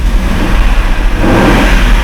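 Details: Mercedes W123 with a manual gearbox, cold, with oil pressure present; its engine knocked. Revving brings a dull heavy knock believed to be a main bearing rather than the rods.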